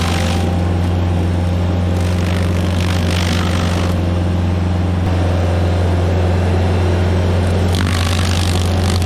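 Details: Stump grinder with freshly rebuilt engine (new rings, cleaned piston), first job grinding a willow stump: steady even drone holding speed while cutting, no misses or knocks; oil on heat shield later burnt off; normal running under load.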